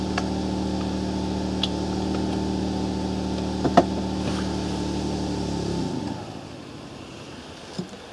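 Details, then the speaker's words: Portable generator charging an e-bike, with batteries then connected at the same time: steady drone sags briefly under the added load and the engine stalls within a second; can't carry the load. "Nie dał rady. No niestety trzeba będzie najpierw rower."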